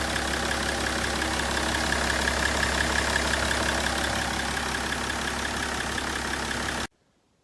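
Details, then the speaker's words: BMW 530d E61 M57D30 3.0 diesel after cylinder head gasket repair and timing chain replacement (a chain guide was found broken). Steady, even idle, regular clatter with faint high tone above, no knock or miss, then clean shutoff. "No nii, et see BMW on valmis nüüd, et käivitub ja sõidab ja toimib kõik."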